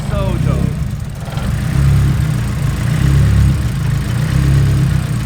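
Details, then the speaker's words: First start on custom-built engine harness and base tune, no idle air control valve fitted yet: uneven hunting idle with low throb rising and sagging about every second; rough idle from missing IAC. "all right so you know I learned it in the car has no I AK so it's gonna be a little rough the idle for now we'll set that up later on"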